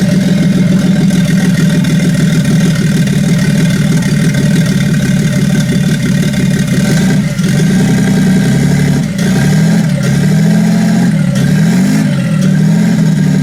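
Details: Toyota 2JZ-GTE VVTi six-cylinder in a Nissan S14 drift build, first start after wiring: smooth even idle with clean throttle blips, no knocks or ticks; smoked briefly at start-up from water in turbos after pressure washing, then cleared; runs healthy.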